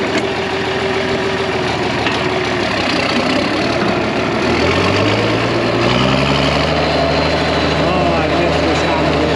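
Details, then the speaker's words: 1966 IH 1206 Wheatland standard diesel tractor just back together after external head gasket leak and rebuilt head, warming up before dyno break-in: steady, even idle with low regular beat, no knocks or misses; normal idle. "it sounds good kind of waiting for the that water temp starting to come up I'd like to get it up the temp here"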